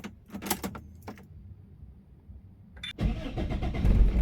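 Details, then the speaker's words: Older car with a turn key, key set to ON so the fuel pump is heard before cranking: key clicks, a quiet pause, then a short crank and the engine catches cleanly and settles; normal cranking and start. "Sebelum kita start engine, kita perlu letak kunci di posisi on dan kita akan dengar bunyi pump berbunyi, berpusing ataupun cranking."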